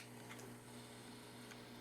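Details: Sony M-470 microcassette voice recorder, which will not rewind: on fast forward a quiet, even motor whir with light ticking from the reels, running smoothly with no drag or hesitation; normal fast forward.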